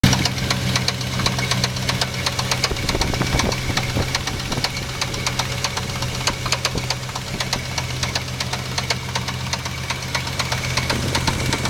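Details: 1987 Chevrolet C10 V8 idling: sharp, fast ticking knock over the steady drone, most prominent near the driver's side header, which began smoking there afterwards; engine knock.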